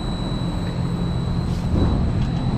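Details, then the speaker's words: LG Multi V IV after compressor and inverter board replacement for CH29 error, proper charge, line cold, no error codes, condenser fan off: smooth steady low hum with faint high drive whine, no rattles or knocking; compressor healthy. "All right, compressor is running, got proper charge."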